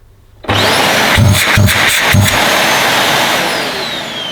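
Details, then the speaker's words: Refurbished used Dyson DC21 Motorhead canister vacuum, bought damp with moisture around the seal, first motor power-up; spins up to steady even whine with handling knocks, then winds down; owner thinks the motor sounds okay; normal vacuum motor run. "Right, I think that sounds okay personally. That motor."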